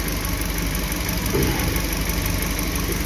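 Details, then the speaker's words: Suzuki New Carry after overheating repair, timing chain and valve clearance set, thermostat fitted: low shaky idle, irregular thumping about four beats a second, rough only at low rpm; rough idle. "Rasanya seperti bergerak, tapi hanya pada putaran mesin rendah, bro."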